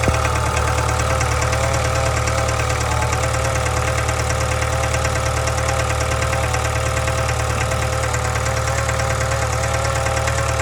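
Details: 2013 Subaru 2.0 boxer engine at idle: an even knock about three times a second rides over a low hum, source unclear. Engine knock and hum.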